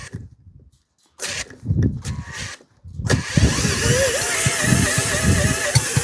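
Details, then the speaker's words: Stuart generator engine test-run with no water and no fuel system rigged: short ragged cranking bursts then an uneven labouring note that never catches cleanly; petrol running out of the exhaust, possibly flooded, spark ruled out, cause unconfirmed. "Petrol's running out of the exhaust. Maybe we've gone the other way and flooded it. Who knows?"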